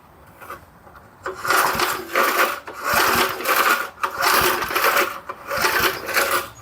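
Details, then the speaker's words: 1975 Murphy's 20-inch push mower pulled from a shed: slow raspy pull-cord strokes about one a second, never firing; spark test shows no spark, so no start. "nope the old plug's not lighting up on it I was not a bit surprised on that"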